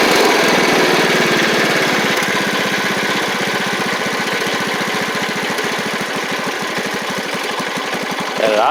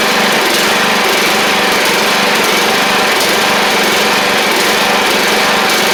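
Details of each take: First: Troy-Bilt Pony 42X Powermore single-cylinder engine after fitting a replacement carburetor: a steady, even putter at about four beats a second dropping to idle. Runs well aside from an occasional backfire; idle may need slight adjustment. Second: Troy-Bilt Pony 42X Powermore single-cylinder engine after refitting the original carb with WD-40 and carb spray: a busy buzz with brief stumbles about every second. It runs rough.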